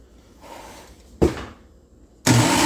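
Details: Preeti mixer grinder started once the jar is properly turned and locked onto the base: quiet handling, a sharp click, then the motor snaps to a steady high whirr that stays even; normal start.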